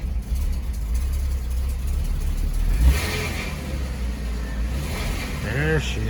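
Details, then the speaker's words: Porsche Boxster 986 with 211k miles, just after fuel filter replacement and priming: the engine catches and settles into a steady low rumble while warming up, no misfire or knock; normal idle, though a check engine light came on. "cool and we'll let her warm up"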